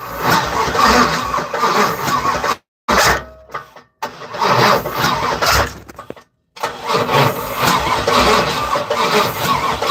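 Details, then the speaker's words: Third-gen (1982–92 F-body) Camaro, good compression, starter fluid gave fireballs; starter churns several seconds per try with pauses and never fires, a long crank-no-start. Owner suspects injector not working, no spark, timing off, or a bad ground; battery hot. "Everything's plugged up. The injector's not working. Is there spark? The timing off."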